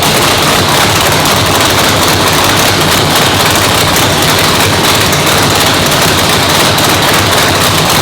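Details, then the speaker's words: Brand-new 997-cubic-inch nitrous race motor, first fire-up in the car in the new shop; loud raw idle with choppy, spitty, poppy exhaust crackle over a deep rumble, steady throughout; normal idle. "Fired up. Sounded awesome, guys. I mean, dude, I told you this thing was gonna sound spitty, poppy."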